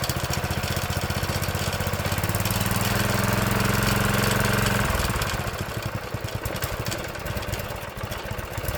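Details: Old Honda GX engine on a tiller, sitting about 6 months to a year: crisp, even single-cylinder putter that catches and runs steadily, then settles to a slightly lower idle; healthy running.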